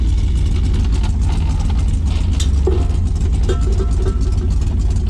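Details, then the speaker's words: Dodge Dart, carbureted, just converted to electronic ignition with an ignition box and MSD 0.8 ohm resistor: low, steady idle rumble under shop noise, no misfire or stumble; running better than ever, normal idle. "i hate to admit it but it's running better than it ever did before i mean i could hit 7000 rpm without trying once we get past the carburetor"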